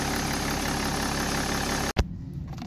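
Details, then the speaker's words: BMW M57 diesel at idle with oil dipstick removed during crankcase breather (CCV) check: smooth, even idle with light normal vacuum-pump tick and no sucking or slurping at the dipstick tube; breather working fine. "To cykanie pochodzi z pompy Vacum, ono jest normalne w M57"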